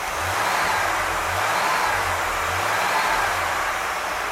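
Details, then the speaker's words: Carbureted engine with Edelbrock 1406 carb rejetted using a 1480 kit, tuned richer via air/fuel gauge, on the lift: even, steady idle under hissy background, no misses, fender not moving; smooth normal idle. "smooth! That just is nice. The car's not, I'm watching the fender against the sunlight on my table saw, and it's not even moving."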